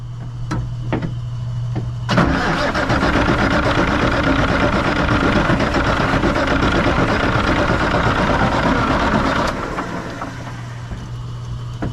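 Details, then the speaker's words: 1965 Kenworth W900 diesel, not started in 3–4 years; seven seconds of steady labored cranking, never fires; fuel reaches the gear pump but the pump isn't delivering; crank, no start. "well we're going to have to go to plan C here find out why the that pump isn't pumping so we'll uh do a little figuring here"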